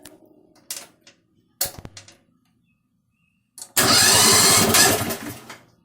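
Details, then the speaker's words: Struck Magnatrac MT2000 tracked machine, first start of newly mounted replacement engine: short cranking attempts, then it catches and runs loud and even for a couple of seconds before winding down; sounds like a Volkswagen; normal running. "That's what I'm talking about. Sounds like a Volkswagen."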